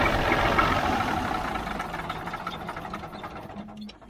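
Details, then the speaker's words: Mack R-model diesel, injector lines cracked loose, gives an even crank of about four turns a second that slowly fades without firing. The owner thinks fuel pressure is plenty and suspects a stuck kill switch or other problems. Cranks, no start. "nothing we got other problems I think we're getting plenty of fuel pressure now"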